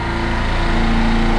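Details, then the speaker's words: Midmark Power Air dental compressor after fixing an air leak at the pressure switch and adjusting the switch (set near 85): both motors running with an even low drone and steady pulse, no rattles or stalls; normal running. "okay both my motors are running now"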